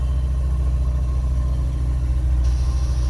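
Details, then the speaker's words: Ancient Ford Courier just started after pumping the gas: a low, rough idle rumble with an uneven chuffing beat. The engine is kind of noisy at idle, cause unknown; a dash light is on and it smells stinky. "kind of noisy all the gauges are working"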